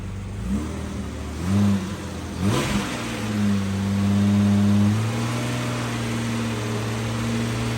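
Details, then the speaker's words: Jeep Cherokee after repair of shorted hidden wiring that had caused a misfire and stalling: engine blipped up and back cleanly with no misfire, then steady idle; still clearing excess fuel and white smoke from earlier flooding. "So we know that's pulsing like normal. And it sounds like it too. Oh yeah. I mean, It's not misfiring."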